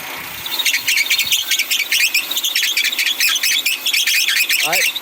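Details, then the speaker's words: 2008 Kia Spectra at idle while the wheel is turned: high chirping squeal coming and going, power steering freezing up, most likely because the belt is too loose. "now you see what was happening is this is freezing up and most likely because that belt is too loose"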